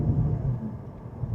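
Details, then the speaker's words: 2016 Toyota Corolla 11th gen, 1.8L 2ZR-FE, U341E 4-speed automatic, test drive under acceleration: deep loud droning roar swells with throttle, no knock or rattle; reviewer unsure if normal or a worn engine mount, a common problem. "Oh, it's loud when you get on it. I wonder if that's an engine mount or if that's normal the way a car should be."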